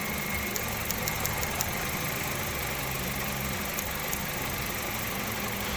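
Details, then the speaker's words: 2009 Hyundai Getz with a P0300 check engine light: sharp irregular snapping ticks in bursts over a rough idle with rpm drops, as the spark plug leads arc to earth on nearly every lead, causing an intermittent misfire. "i hope you can see the engine and hear the rpm drop pretty cool so i'm just showing the co-workers what was going on and actually it's doing them on just about every lead"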